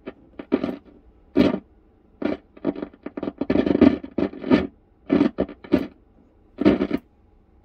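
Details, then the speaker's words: Intermittent sharp crackle through the speaker over a quiet hum on a radio powered through a 100 W bulb limiter, mains transformer tapped 240–260 V, after it previously emitted smoke when plugged in; crackle cause not yet traced. "So where did all that smoke come from the last time we had this? We attempted this. You can hear a crackle in the speaker."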